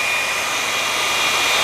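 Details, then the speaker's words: Vevor belt grinder modified from 2"x82" to 2"x72" belt (4 inches cut off); steady even hiss and whir, no flapping or slap, far smoother than the old 82" belt that had lots of play; running normally. "just running a lot more smooth way way smoother uh in the original video the 2x 82 belt had a lot of play here"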